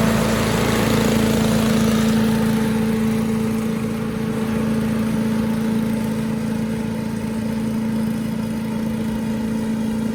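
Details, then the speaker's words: 1984 MTD Air Sweeper (model 245-692-000) with 5 hp flathead Briggs & Stratton single-cylinder (engine 130212-1731-01), 36 years old, started first pull: steady even beat at full speed, no misses or knocks, idles down nicely; engine healthy, though owner thought high speed sounded slightly slow. "It ran at full speed just fine, idled down, sounded really nice, better than most newer engines actually. So the engine's in pretty good shape."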